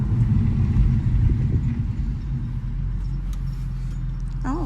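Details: 2011 Mercedes C63 just out of winter storage, braking on a road drive with the window down: only a steady low road rumble while slowing, no squeal or grinding; the brake issue got fixed and the brakes sound normal.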